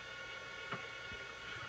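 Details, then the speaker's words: Old Amiga A590 hard drive, described as 20 to 30 years old, at power-on. Steady spin-up whirr with irregular clicks about every half second; odd startup noise, cause unknown, though it then boots successfully from the hard drive. "Uh-oh. It's making weird sounds. The hard drive is making weird sounds. That scares me. It's probably not working."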